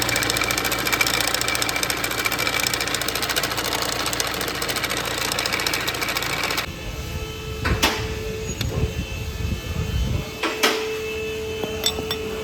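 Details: BMW F48: engine running with busy, fast tinny chatter over idle, then quieter with scattered clunks; rattling from the engine side, described as a common problem, cause unclear.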